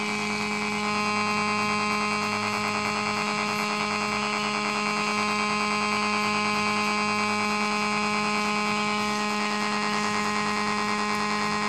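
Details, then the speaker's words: Homemade AC-powered AM transmitter next to a multiband AM radio: when switched on, a loud steady buzzing mains hum swamps the radio, the signal strong enough to overload the receiver. "so now um let's switch on the transmitter and see what happens and that's it in fact the signal is so strong it's overpowering the radio"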